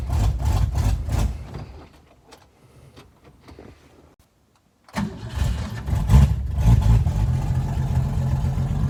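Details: 1961 Mercury Comet with 200 straight six and manual choke, cold start: catches, falters, restarts into a lumpy idle with a sharp puffing tick on each exhaust beat; exhaust leak.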